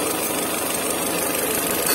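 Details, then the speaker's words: Peugeot 407 running on LPG with bad idle and lean running, warm engine: steady hiss over even idle as air is sucked in at a loose inlet manifold seal; brake cleaner sprayed there makes it run rough and suck harder. Intake vacuum leak. "you can you can hear a sucking noise uh it's sucking in the stuff and when you use brake cleaner for this let me show you regular brake cleaner it will start running weird and you can also hear it sucking in more"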